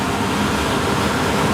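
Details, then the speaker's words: VRF air-conditioner evaporator after replacing a worn belt with chewed teeth: steady even rushing air from the belt-driven blower, no more noise, knocking or shaking. "a pouco mas já parou de tremer não tá tremendo mais Olha aí perfeitinho"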